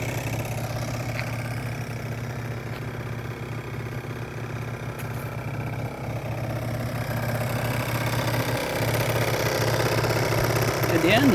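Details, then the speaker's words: 50cc two-stroke scooter, hot, original airbox and 39mm original piston, main jet raised 82 to 86, Koso variator: steady even idle buzz, bearing sounds good, little vibration, no knocks; normal idle. "sounds good. Sounds pure and simple and uh bearing sounds good. Doesn't vibrate very much either."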